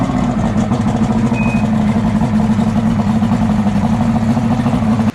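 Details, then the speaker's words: Boat outboard motor after a throttle fix and a tap on the sticking starter solenoid, which had been sitting unused: even, steady running for about five seconds with no misses, then a clean shutoff; runs well. "I gave her a little tap tap tap Erasmo dap dap and she uh she runs good look at this"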